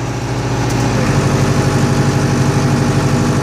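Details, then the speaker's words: Tractor driving a Tiger brush-cutter, revved to at least 1800 rpm before the cutter is switched on: a steady diesel drone deepens and strains as the cutter spins up; normal bog under load. "You can hear the tractor bogging down as it brings the hog up to speed."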